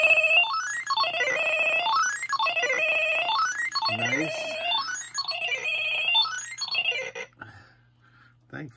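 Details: Bally Paragon pinball sound test during MPU driver testing: repeated sweeping tones rising and falling, clean and loud through several cycles; the sound board plays properly.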